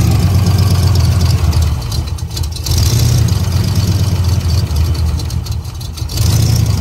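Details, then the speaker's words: Turbo 331 small-block Ford Foxbody Mustang freshly started: deep, low rumble settling into a fairly steady idle with slight rises and dips; it idled well once started; normal idle. "however very cool it drove pretty good once it started to idle good"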